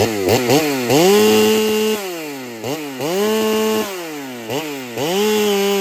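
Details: Ported Holtzfforma 395 chainsaw after build changes, cutting: revs rise and drop about every two seconds, pulling flat; cut RPM about the same, owner feels it runs slightly worse; rings possibly not yet seated.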